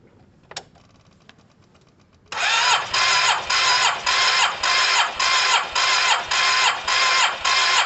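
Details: Cheap Yamaha TMAX, second spark plug, coil and lead out for spark check: starter whirs in regular surges about two compression strokes a second, never catches; some spark flickers seen, weak, coil and wiring to be checked.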